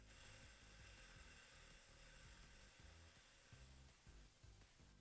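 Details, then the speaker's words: Upgraded PC at power-on: quiet fan whir with rapid rattling ticks in repeated bursts, a fan blade striking its own fan cable left in the way; fix by moving the cable clear of the fan. "That's okay. I know what that sound is. That's the sound of a cable Randy didn't move out of the way."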